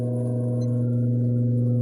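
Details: Westinghouse fan, original motor: steady deep electrical hum, heating up and drawing over 2 amps; stator coil shot, motor replaced.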